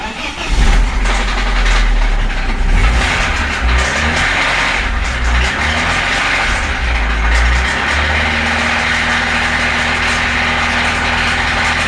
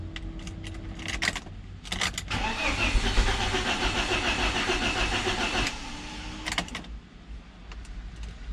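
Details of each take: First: BMW Z3 with a freshly reassembled engine and new timing chain: it cranks, catches and settles to a steady run with a persistent knock underneath, not from the valves but from inside the engine. Engine knock. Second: BMW Z3 engine, reassembled by a first-timer after a timing chain job, cranked again with spark plugs out to build oil pressure before first start. Fast, even, light cranking with no firing; normal plugs-out priming crank.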